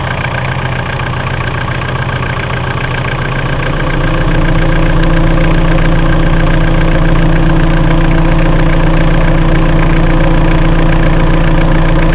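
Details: Mitsubishi-type 4M40 diesel engine knocking at idle: a steady, even knock about 3.5 times a second over the diesel clatter; the source is undetermined.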